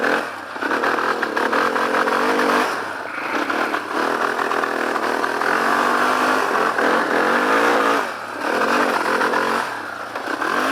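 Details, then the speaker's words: Yamaha Warrior 350 engine revs up, then keeps cutting back at the same low ceiling, as when the parking-brake safety sensor limits revs; a faulty safety switch (parking brake or clutch) is suspected. "When the parking brake is on, it limits the revs, so it won't go fast."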